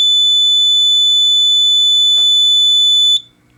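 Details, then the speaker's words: Fire alarm panel lamp test: steady high-pitched continuous tone holds about three seconds then cuts off cleanly; panel sounder works normally. "so let's hit the lamp test as you can see everything on the screen is working good and then you see it lasts for about maybe like five seconds"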